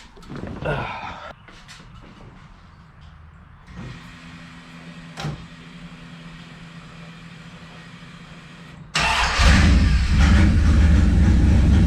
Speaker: a little high idle there need to go for a test drive